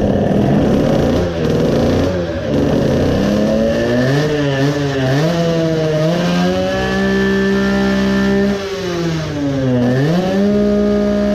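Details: Modified 20 hp two-stroke moped engine with a low-power problem, carburetor suspected: revs up and down with a wet, uneven burble and sputter instead of a clean crackle; running far too rich, drowning in fuel.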